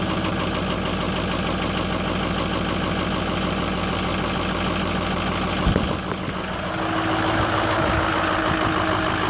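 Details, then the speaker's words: Ford 6.0 diesel first start after FICM repair, new batteries, unstarted almost four weeks: uneven, lumpy idle with a stumble before settling somewhat, puffed a lot of smoke at first; would not run at all with bad FICM. "little rough at first hadn't been started in almost four weeks it puffed out a lot of smoke at first"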